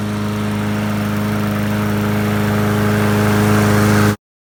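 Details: Bolens push mower after repairs including RC12YC spark plug, J-B Weld repair and cleaned air filter, cutting grass: steady, even putter with a firm low hum building slightly under load, no knocks or misses; healthy.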